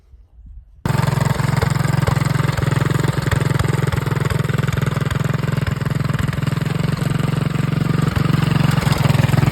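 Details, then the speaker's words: Homemade mud mower with a single-cylinder engine: it fires on the first try, then settles into a quick, steady putter at roughly three and a half beats a second; normal start and idle. "But we'll get it fired up so you guys can hear it."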